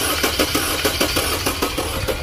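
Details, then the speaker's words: 2013 Audi Q5 2.0 supercharged, misfire with codes for high fuel pressure and catalyst efficiency: uneven, lumpy cranking beat with one stroke missing its push, a dead cylinder 3, later found to have a burnt valve. "you hear that that unevenness that's a dead cylinder"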